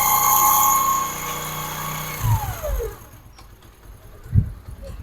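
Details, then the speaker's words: Motorcycle after chain noise repair: engine runs smooth and even then winds down, no chain rattle or slap; the earlier chain noise is completely gone, drive sounds healthy. "तो देख सकते हैं आवाज जो है बिल्कुल खत्म हो चुकी"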